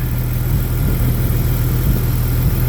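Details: Jeep Grand Cherokee 4.0 straight six, replacement head after cracked head, new radiator, still warming: smooth, even low idle with no lifter ticking or tapping over three seconds; healthy.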